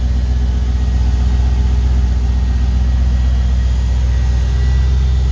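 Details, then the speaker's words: LS1 V8 from a 2004 Holden Caprice, 172,000 km, on an engine run stand, idles smoothly with a deep, even throaty rumble and faint injector ticking; no smoke, slightly noisy around the fuel pump. "Engine's nice and quiet. You just hear the injectors ticking away. Nice little throaty rumble."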